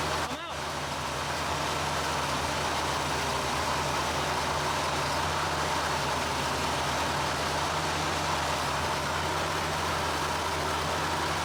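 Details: 1975 Chevrolet Corvette Stingray V8, long-stored, just after Edelbrock carburetor rebuild (previously died immediately): holds idle on its own but the rumble is uneven and lumpy, beat wavering; rough idle, idle and carburetor adjustment still needed.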